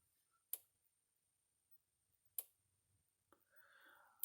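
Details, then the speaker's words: Gallagher S100 portable solar fence energizer (1 joule stored, built-in battery and solar panel), after repair: sharp single snaps about every two seconds, even and steady, as it returns to normal fast pulsing when sunlight is restored by removing a finger. "Um, and as soon as the sunlight comes back out, by removing my finger, it'll go back to pulsing fast again or normal again."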